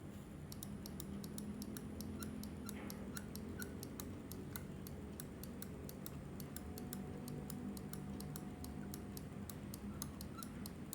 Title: Squeaky noise on Glorious Model O